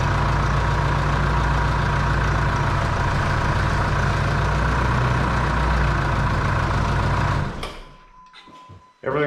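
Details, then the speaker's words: 2005 Jeep Liberty CRD 2.8L turbo diesel after replacing the serpentine belt and tensioner: steady, even diesel clatter at idle with a smooth low hum and no knocks or squeal. Normal healthy idle. "good sounding good everything's on working appropriately"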